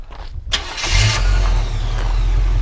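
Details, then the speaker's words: 1985 Chevrolet K5 Blazer Silverado V8 with 96K miles, start-up: a brief crank, catches within a second and settles into a strong, steady, even idle with no knocks or misses. Sounds really good, a normal start. "You know, it sounds really good. Go ahead and rev it up a little bit."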